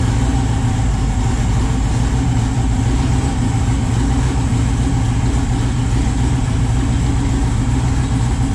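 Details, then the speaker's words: Chevy S10 with freshly rebuilt 408 stroker LS V8 (crank previously bent) at idle: deep, even, steady low rumble, no knocks or misses; good oil pressure, O2 sensor issue unresolved, oil leak from transmission line; sounds quiet and smooth, normal idle. "everything sounds good it sounds quiet engine sounds s"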